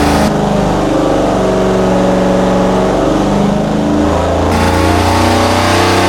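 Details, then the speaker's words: Rebuilt barn-find Mopar 340 V8 with hydraulic flat-tappet cam and headers on engine dyno, 94 octane, about 34° timing, pull toward 6000 rpm: deep even pull, clean firing; 364 hp at 5600 rpm, 392 lb-ft, 70 psi oil pressure. Healthy run. "At 5600 RPM, we pulled out 364 horsepower. Oil pressure is good. 70 lb at that RPM."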